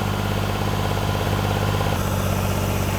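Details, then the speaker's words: Freshly rebuilt junkyard 4.3 V6 with Comp cam in a turbo AWD S10, first start, held at raised rpm to seat rings: even, deep, steady drone, no knocks or ticks; runs smoothly. "all right she's running and she sounds good now"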